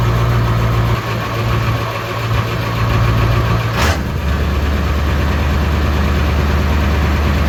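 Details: Ford 7.3 Powerstroke OBS diesel truck, first start since September at about +6°C after replacing the IPR harness and new sensors: rough cranking rumble, catches near four seconds, then steady deep diesel idle; normal start and idle.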